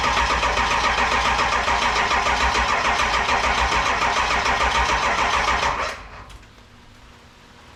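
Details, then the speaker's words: 7.3 Powerstroke diesel in a 1951 Ford shoebox, standalone wiring swap; even cranking at about 200 beats a minute for six seconds, never catches, then stops. Injection driver module (IDM) was left unplugged during rewiring, so no fuel delivery. "I know why it won't start I'm a genius sometimes I didn't disconnected the IDM so I could maneuver wires easier this is the injection delivery module I think is what they call it"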